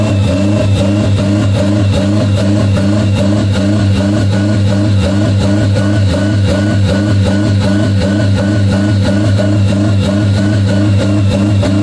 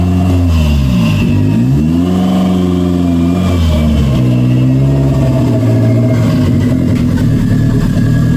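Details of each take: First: 1992 Toyota MR2 with a high idle caused by the throttle plate not fully closing: a steady raised idle that never drops. Pushing the throttle fully closed by hand brings the idle back to normal. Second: 1992 Toyota MR2 after the throttle cable and idle fix: a steady idle that picks up cleanly on several quick blips, with a responsive throttle and an even return to idle. Normal, healthy running.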